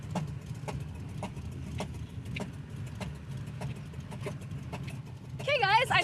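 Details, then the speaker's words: 1972 Chevy Nova V8 while driving for a baseline: sharp, evenly spaced ticking about twice a second over the rumble. The crew first suspected a spark plug or exhaust, then a deep internal knock. Valvetrain knock from a broken rocker stud. "So, it sounds like something knocking or like literally a exhaust fell off. >> That's not good. >> No, it's bad."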